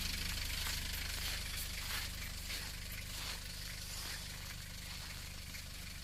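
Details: Nissan Terrano II 2.7 TDi diesel, cold start at -29°C after about two hours parked: even diesel clatter with a steady low rumble, idling healthily right after starting; normal cold idle.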